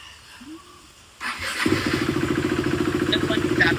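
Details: 2016 KTM RC 390 BS3, slipper clutch, second owner, Power Tronic added: starter whirs briefly, engine catches and settles into an even thumping idle at about three to four beats a second; healthy start and idle.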